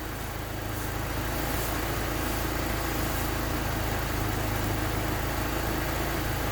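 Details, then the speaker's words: Honda D16Y8 with P28 ECU, timing 16 degrees, after cracked exhaust manifold replaced with new DNA Motoring header and cat-to-downpipe retightened: even, steady idle, no puffing or ticking; exhaust leak fixed. "So as you can see, there is no more exhaust leak."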